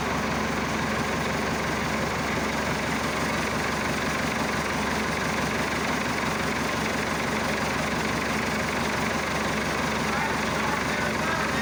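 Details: Massey Ferguson Super 90 diesel tractor just after replacing a faulty negative ground cable that caused slow cranking and no-start; fixed and held at cold idle, not revved. Steady, even diesel clatter with no misses or knocks; normal cold idle.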